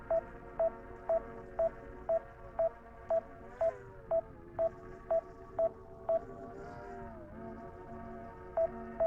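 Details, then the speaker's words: DJI Mini 5 Pro drone remote controller during a waypoint mission, about 0 degrees outside: clean single beep repeating about twice a second, steady and relentless; a controller warning of uncertain cause that cannot be silenced. "Can I get rid of this? That beeping is crazy."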